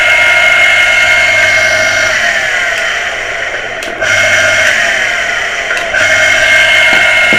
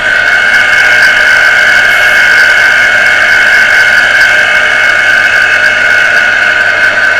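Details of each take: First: Water pressure pump motor after servicing for a humming, non-starting fault; steady, fairly high-pitched even hum with slight dips, spinning freely; motor now fully fixed, ready to reassemble and refit. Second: Water pressure pump motor that had only hummed and not started, heavily jammed and beginning to free up after servicing, run on socket; loud steady high whine with squealing edge, little low hum; stiff, partly seized bearing.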